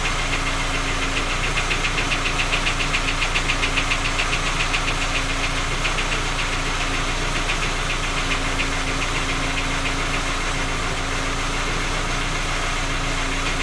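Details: Skoda Octavia A5 facelift 1.6 MPI, cold engine idle: steady light knock about three to four a second over engine hum; persists after three engine repairs, source not found.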